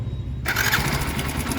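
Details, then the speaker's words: Hero Splendor BS6 single at 28,861 km: it catches after a brief crank, then a fast, dry metallic chatter rides over the idle from inside the engine; the mechanic suspects the timing chain is bad. "ये देखिए दोस्तों पूरा timing चैन घर घर ए रहा है ऐसा ग रहा है टाइमिंग चेंज का खराब हो गया है"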